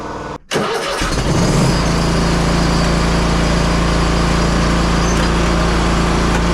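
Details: Hustler Raptor SD 60-inch mower (model 934612) after deck belt replacement: brief crank, then the engine catches and settles into a steady, even low drone with no knocks or squeals; runs normally.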